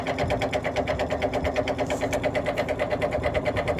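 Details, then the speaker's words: 1950s GE three-speed reversible box fan, shipping damaged, with bearing play and needing oil, running on low: steady thumping about three times a second over the motor hum. Severe fan blade imbalance shaking the fan. "that is shaking worse than i have ever seen a fan shake this thing needs to be balanced"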